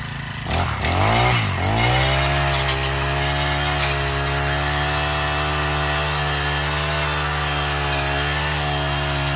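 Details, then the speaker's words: Honda Harmony FG100 small tiller that had been sitting, started with no choke and left to warm up about a minute: after a couple of pulls it fires, surges briefly, then holds a smooth steady idle; normal warm-up. "I'm gonna do no choke again. Let her warm up for like a minute, then we'll get her going, okay?"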